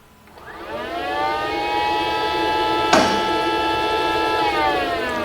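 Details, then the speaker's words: Mercedes GL450 with low ride height from a leaking air spring: the electric air suspension compressor below the headlight, switched on via a scan tool, whirs up to a steady, even whine and runs properly. "so our pump is running I heard it I heard the pump running around this area"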